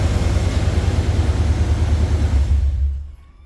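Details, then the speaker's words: OBS truck with a new 1998+ Vortec starter replacing its dragging one, cold-engine restart: a deep rumbling churn under three seconds, typical for this truck cold, then it catches and settles quickly; the starter cranks strongly. "and for this truck on a cold start that's about right it takes a second or a second and a half to actually kick over sometimes longer if it's cold like outside cold"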